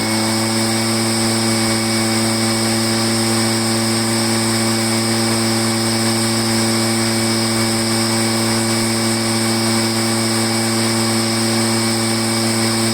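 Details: Echo PB500H two-stroke blower after a no-start, flooding from a poor aftermarket carburetor and a kinked fuel line fixed, primed; steady, even high-pitched drone at throttle with no surging or misfires: normal running.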